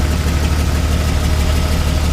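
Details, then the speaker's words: Jeep Wrangler 4.0L with head gasket failure, idling: deep rough idle with uneven low thump; unplugging changes nothing, cylinder 3 seems dead while cylinder 4 misses intermittently; misfire on two center cylinders. "Number 3 seems to be dead, and number 4 must come and go, I think, because I just had it unplugged and it did make a little bit of a difference, but now it's not."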